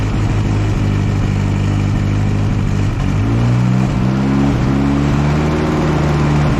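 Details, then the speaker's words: One-owner barn-find 1964 Jeep CJ5, engine previously stuck and just freed, first sustained run, still smoking: even engine note rising with revs, no knocks or misses; running smoothly and freely. "oh guys I am just so happy about this you guys hear how smooth this thing's actually running this is unbelievable from being being a locked up hunk of scrap IR to running that smooth that quickly is impressive"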